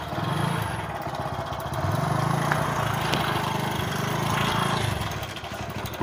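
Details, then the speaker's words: Hero HF Deluxe motorcycle idling unevenly with a loose, rapid rattle over the exhaust beat; tappets checked fine, and the timing chain is badly stretched and very loose even with a stronger tensioner spring fitted. "Tappet और बाकी सब कुछ बिल्कुल ठीक है, लेकिन timing chain बहुत शोर कर रही है।"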